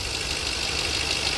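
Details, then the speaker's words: 2009 Ford F-150 4.6L 2-valve (engine code W), 110,000 miles, after cleaning the electronic throttle body that caused stalling at idle with no codes: steady, even idle with smooth hiss, no stumbling. "I cleaned out the throttle body I didn't even put a new one on it that was an option as well I just cleaned it up and now it's it's purring like a kitten there you go"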